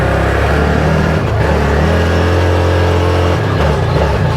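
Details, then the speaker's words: 2022 ODES 1000 Dominator LT (as given) riding at steady throttle with data logging: engine note swells and sags unevenly, a bad surge; the fuel system has no return line, and the owner wonders if the TPS or fuel pressure is at fault. "See how it's surging really bad? That's interesting. I wonder if that's TPS or fuel pressure."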